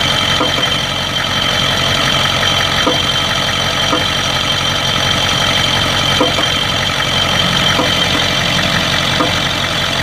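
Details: 1992 Ford 7.3 IDI diesel idling with uneven beat and occasional soft injector-like knocks; intermittent misfire and blowby that comes and goes; teardown later found second piston ring broken in half on two pistons and one bad valve guide.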